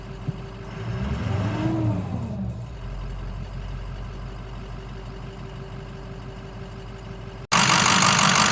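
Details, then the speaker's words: 2006 Ford 6.0 Powerstroke diesel, idling: steady idle with sharp, even, loud injector clatter; runs well, louder than the Cummins, normal Powerstroke injector noise. "Makes too much noise though compared to the Cummins. Those injectors are, I guess that's the Powerstroke thing. They're just loud."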